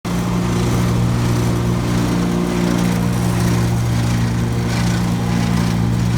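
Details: Brand-new 2017 Gravely ZT HD 52-inch mower, blades (PTO) engaged: steady engine drone with faint loose rattle, apparently from the left deck belt; noise present since new, quieter when that belt's spring tension is increased.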